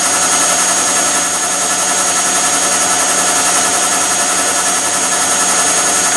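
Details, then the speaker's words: Replacement Bosch tumble dryer running with lint screen removed: steady even air rush and smooth drum hum, no knocks, scrapes or squeals, heating properly; normal running. "That sounds good. Ooh, it's heating alright. So that Bosch is heating, that's fine."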